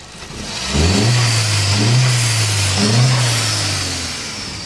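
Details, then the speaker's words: MK4 Jetta with newly installed aftermarket diverter valve set to its loosest setting: engine revs and drops, soft airy hiss on each throttle lift as the valve vents; now working. "like it's working now that sounds pretty good"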